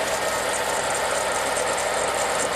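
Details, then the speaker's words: Holden Clubsport LS2 V8 idling with a steady rough grinding hiss from the water pump at the front of the engine, green coolant leaking from behind the pump; pump then replaced. Finding: water pump bearing grinding. "I don't know if you can hear it on the phone, but on the video, but you can hear a grinding sound coming from in here."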